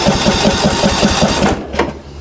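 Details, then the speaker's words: Greenfield ride-on mower, hot day around 35 degrees; starter cranks steadily, about five turns a second, never catches; fuel bowl looks oily, diesel has been put in the petrol tank; no start from diesel contamination. "I reckon that that's that's diesel he's put diesel in it that's diesel that's his problem guys"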